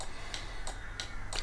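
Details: Volvo V50 indicating right while newly fitted towbar 7-way bypass relay sockets are tested: crisp, steady, even relay ticks about every third of a second in a quiet cabin; healthy indicator flasher, socket working fine.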